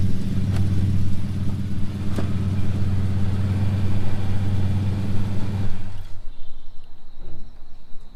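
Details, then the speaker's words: Project car after fine tuning: engine pulls smoothly and evenly under load as it moves off, steady low drone with no knocks or misses; normal running under load. "now sounds good you can certainly see that under load now it's pulling itself up"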